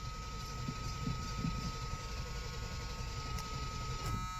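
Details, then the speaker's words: Free Chevy plow truck, jump pack on an auxiliary lead to the battery, pedal pumped to the floor: steady starter churning with a low rumble, never catching or popping; cranks but won't fire, owner suspects magnetic pickup or reluctor wheel. "you know it just doesn't want to go so this is kind of my last ditch effort here to the floor pumping it I haven't heard ever pop off or do a single"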